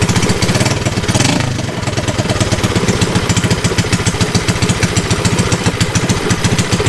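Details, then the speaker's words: Mini bike small single-cylinder engine on a chilly day, after chain work. Rapid, steady, strong thumping at an even beat with no misses or stumbles: normal running. "But we should be able to start it up. There she is. Running like a rare pig."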